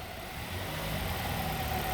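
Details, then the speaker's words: Hyundai 2.4L engine just after an engine transplant: smooth, even hum settling to a steady idle without ticks, misses or rough patches; running cleanly. "Look at that. Nice. She's purring. Nice."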